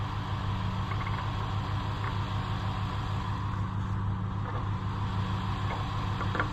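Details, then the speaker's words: Allis-Chalmers WD tractor (WD45 engine, or the reverse): starter turns engine about two beats a second, never catches even on starting fluid or brake clean; owner suspects carburetor not passing fuel, rebuild likely. "it won't fire a lick won't even fire on starting fluid and that's not good or brake clean"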